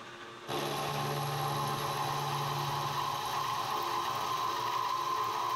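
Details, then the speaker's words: Milling machine cutting while building NT30/ISO30 arbor for 50mm face mill: steady hiss and chatter with thin high ring near 1 kHz; owner suspects dull cutter or quill/spindle bearings, unconfirmed. "don't think that cut is real sharp either and you can hear that bit of noise in the I don't know whether it's just quill need to in the bearings I don't know"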